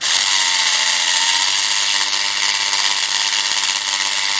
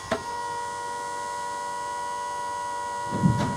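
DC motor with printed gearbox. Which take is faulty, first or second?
first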